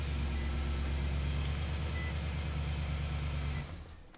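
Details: 2017 Nissan Titan started with dead key fob held to the start button: deep, steady engine hum, smooth and even with no misses or knocks before shutdown; normal engine start.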